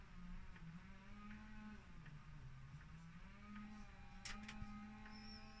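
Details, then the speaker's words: ZX Spectrum +2 cassette drive after repair, case fastened back down: quiet steady low motor hum with faint whirr, no squeal or drag; tape drive motors turning normally, machine then loads perfectly. "and now you just button up the ZX spectrum and you just fasten the case down and then it's just a normal and you can hear the motors are working so we're going to now just try again"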